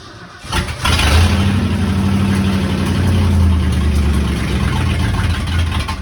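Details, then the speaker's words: 1971 Ford F-350 dump truck first driven under its own power: engine settles into a rough, uneven drone with rattly pulses about four a second; unidentified driveline noise, suspected in the bell housing. "What is that sound? I don't know. It sounds like there's something in the bell housing or something."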